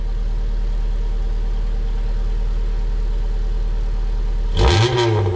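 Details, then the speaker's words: Honda Civic exhaust on first start after the last bolt was tightened: deep, droning exhaust at idle turning into a harsh, booming roar on a quick rev, rattling; excessively loud exhaust, muffler inadequate and to be replaced. "alright so that was [ __ ] terrible this is the loudest exhaust in the world and I'm definitely hacking off that muffler I'm putting a real one in there"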